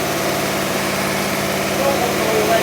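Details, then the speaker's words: Barn-find 1960s Bristol 408 with Chrysler 5.2 V8, running after revival, dynamo seen sparking: a steady, even V8 idle with a smooth low pulse and no knocks or misses; normal idle. "that's lovely yes it is actually that is really lovely sound nice sorry does it sound nice it it sounds great actually"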